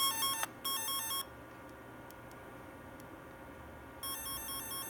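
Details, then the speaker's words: F set twisted-pair tone tracer: warbling stepped tone cuts out for about three seconds then returns, caused by a poor connection, temporarily fixed by wrapping the wire. "it's still not right this connection is it again we'll just wrap it around there for a sec"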